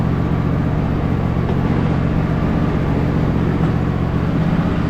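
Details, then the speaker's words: Husqvarna hydrostatic riding mower after a filter change (suspected main problem) and pulley work, driving: steady, even engine drone with no whine, grind or knock; the transmission is now quiet. "engine runs super smooth though trans is nice and quiet now"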